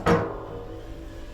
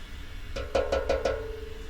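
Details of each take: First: Boiler expansion vessel on a leaking boiler, tapped by hand: two sharp taps give a dull, solid, full thud instead of a hollow ring; vessel waterlogged. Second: Expansion vessel tapped on a leaking boiler job: four quick light taps give a slightly hollow ring, how a correctly charged vessel should sound.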